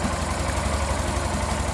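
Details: Yamaha Factor 150 single-cylinder motorcycle idling after repair during a charging test with a multimeter: steady, even low idle, smooth beat, no knocks or misses; the stator was replaced.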